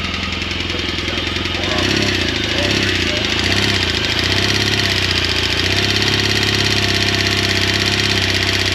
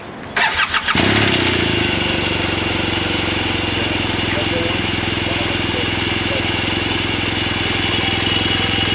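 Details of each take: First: 2016 BMW R1200 GSA twin idling and revving: loud steady valve-train tapping following engine speed, from a grooved, worn cam lobe not fully opening the intake valve; cam and rocker arm failure per BMW service letter. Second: BMW boxer twin of a second rider, started and idling with a faint light valve tick, considered normal head noise for comparison against a bike with a grooved intake cam.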